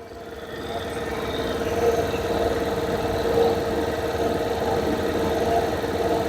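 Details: Suzuki Access BS6 scooter after slow-speed (idle) adjustment screw set; engine ticks over smoothly at a steady, settled low idle with no hunting, correctly set idle.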